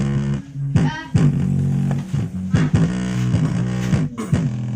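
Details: GMC portable speaker after replacing a shorted capacitor that caused a hum: music plays clean and full with solid bass and no hum or buzz underneath; repair successful.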